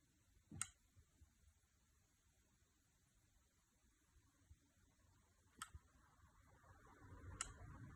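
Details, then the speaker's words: Samsung TV from about 2007–2008 struck by lightning, tested after the chip was replaced: a few sharp relay clicks but no power-on, still shorted. Lightning is suspected to have travelled through the HDMI traces to the main chip. "unfortunately it still has a short it is doing exactly the same thing that it did we can hear the relay clicking but no life whatsoever from the TV"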